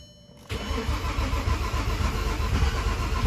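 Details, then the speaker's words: Built VW VR6 engine after a faulty ignition wire was fixed: starter cranks and the engine briefly catches and stumbles without running. Owner suspects a weak battery or plug wires out of order. "Oh, it's trying to start. You heard that?"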